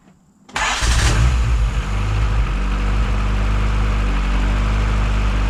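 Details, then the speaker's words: Honda D16Y7 non-VTEC head fitted with a VTEC cam with VTEC locked, first cold start after install: catches after a brief crank, settles to a steady, slightly lumpy cold idle; running rich because cold, tuning still to be done. "all right start it up it's obviously running pretty rich I mean it is cold but we can get all the tuning stuff done now that we've got the VTEC cam in"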